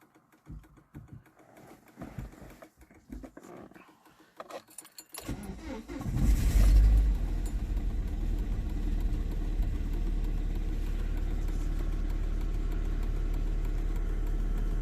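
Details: Volvo V40 2.0T, about 20 years old, cold start at -2°C: cranks, catches, then a slightly lumpy cold idle. Misfire is back; suspected rocker cover gasket leaking oil around the cylinder 3 spark plug.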